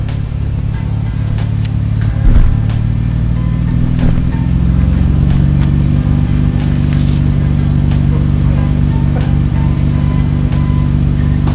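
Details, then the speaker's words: 1991 Nissan Skyline GTR R32 inline-six with its Jasma exhaust freshly repaired and refitted after running without the muffler; smooth, even drone with a throttle blip, no rattles or leaks; normal exhaust note. "It's fixed and it sounds great. Very, very smooth."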